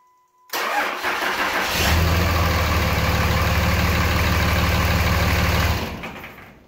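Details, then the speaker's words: 5.9L diesel pickup started a second time on a small 2p SPIM08HP lithium pouch-cell pack: strong steady cranking about a second, then clean catch into even steady clatter; healthy diesel engine start. "is very cool and it's pretty neat to know that these batteries still have enough left to start the engine a second time"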